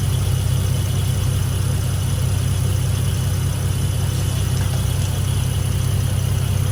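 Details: 1986.5 Toyota Supra MK3 with 2JZGTE VVTi swap and DIY cold-start air valve from Aristo parts: cold idle, no throttle, out of gear; smooth even low rumble, steady beat, no misses or stumbles; idling cleanly.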